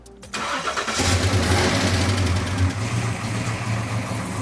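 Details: 1970 Dodge Challenger with tired 318 V8, after re-marking the balancer and correcting ignition timing that had been 60° instead of 30° max advance: cranks briefly, catches cleanly, smooth even idle with no pinging or stumble.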